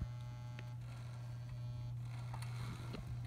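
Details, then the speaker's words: Vintage Marx battery locomotive modified to run off track power with a PWM driver board, forward at crawl speed, batteries possibly low: strong low electrical hum with a faint whine that cuts out; PWM gets stuck, motor hesitates. "So forward, and that's slow, and you can hear the pulse width modulation kind of get stuck."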